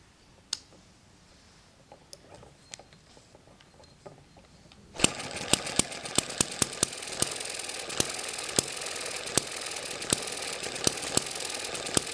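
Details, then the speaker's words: Eachine ET7 hit and miss model engine after the governor springs were stretched weaker: sharp firing pops with coasting gaps, about 80 a minute, over a mechanical whir, running below 1200 rpm. It now runs slower, like a proper hit and miss engine. "you can hear that the engine's running slower we're below 1200 rpm so that slowed this down quite a bit and it sounds a lot more like a hit and miss engine"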